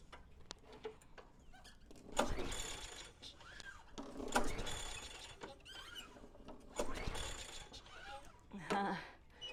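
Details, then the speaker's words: Lawnmower being troubleshot, starting fluid sprayed directly into engine: repeated pull-start bursts give a few catching chuffs but no sustained running; wants to start but won't, later traced to no constant fuel flow. "Sounds like it wants to start. This straw does not want to stay in here."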